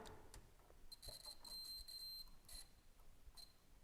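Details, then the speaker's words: Volvo 145 bulb tested with multimeter continuity setting: thin steady beep near 4 kHz in short stretches over room noise, showing continuity through the bulb, so the bulb works. "little bit yeah maybe maybe you can hear the the beep so the bulb is working"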